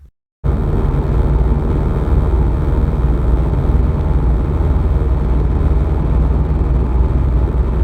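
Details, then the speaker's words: 2008 C6 Corvette at highway speed: a steady low drone and buzz from the passenger-side lower windshield, caused by a small split in the rubber cowl windscreen seal. Replacing the seal with the GM part removed the noise. "okay so what's going on is there's a buzzing sound when you drive highway speeds from the passenger side lower windshield allow me to demonstrate"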